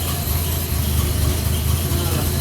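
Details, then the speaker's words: Rebuilt Australian roo-hunting ute made from two dilapidated utes, clutch in during a gear test: steady, even low rumble with no misses, knocks or hunting; idles well. "Okay, we're gonna try clutch in. Good, idles well."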